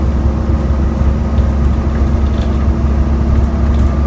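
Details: ADL Enviro 400 bus, Euro 4, ZF Ecomat gearbox, new 11/2007 (Go-Ahead London E93), on the road: deep steady diesel drone holding low revs and never building, pulling like a slug; appears stuck in limp mode, low power.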